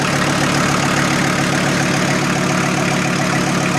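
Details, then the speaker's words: VW T4 with AAB diesel engine, warmed to about 60 °C oil temperature, about 250 km driven, old diesel with additive: steady even clatter at a slightly fast idle, no misses or knocks; normal diesel idle. "Se käy melko hyvin. Joten kaikki näyttää olevan melko hyvin."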